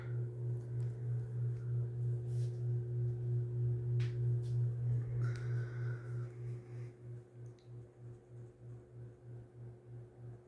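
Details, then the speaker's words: SMC-UB42 ceiling fan, three years in use, on high speed: steady low hum with a faint higher tone and a soft regular throb about three times a second. It has become noisier lately; cause unclear. "here's high speed it's gotten a little more noisier lately but once it keeps running it starts to um stop"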